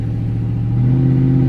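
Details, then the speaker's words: 5.3 LS-swapped vehicle with a 4L60 automatic, on a test drive after the fuse box was rewired to power the transmission solenoids: a steady V8 drone under throttle, then the note drops to a new pitch; normal upshift. "Here, give it some more gas so you can hear it. Noise change, it shifts."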